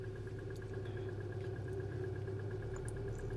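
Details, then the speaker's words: 2016 Hyundai Elantra 2.0 direct injection, P0017 cam-crank correlation, after short block replacement with old tensioner reused: light fast slapping tick at idle on start, cam off one or two degrees; tensioner suspected, not yet opened. "so as you can hear that you can hear a it's like a slapping right and as you can see there"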